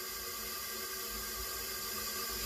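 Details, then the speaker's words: 2015 Jeep Patriot 2.4 L inline-4, P0304 misfire, engine off, leak-down test with air pressure applied, heard at the crankcase: steady hiss growing louder as oil blows past the rings; worn piston rings, engine needs rebuild or replacement. "It's getting louder and louder. It sounded a lot quieter when I first started. Now it's getting louder because it just blew the oil past the rings."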